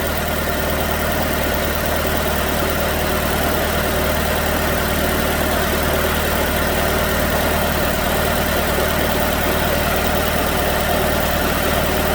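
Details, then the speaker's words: 2006 Chevrolet Malibu 2.2 Ecotec four-cylinder, flashing MIL, P0300, plugs already changed: lumpy idle loping about twice a second with cylinders 1 and 4 dead; no spark at the waste-spark coil pair, traced to a failed ignition control module. "no spark at all so we need to check that drive circuit to make sure that it's working"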